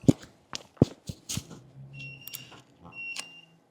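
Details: Studio lights beeping unprompted during a wet-plate photo session, which the speaker likened to a power surge: two short high-pitched beeps over room clatter with no steady pattern; cause unknown.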